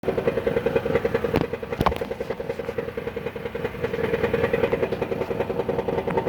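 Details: 2014 Dodge Caravan, warm idle where the noise is most pronounced: quick, uneven rattling clatter about three to four knocks a second; dealer diagnosed a flexplate, which was found badly cracked around the center when pulled.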